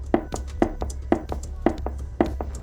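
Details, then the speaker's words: Air-cooled V4 engine being rebuilt with severely worn lifter bores; the part is rocked by hand with at least 1 mm of play, giving dull metallic clunks about twice a second; the block is almost impossible to restore and a new block is needed. "it has at least 1 mm of play it's almost impossible to restore the BS in this engine because we don't have any mechanic shops in our city capable of Performing such operations or at least not for a fair price"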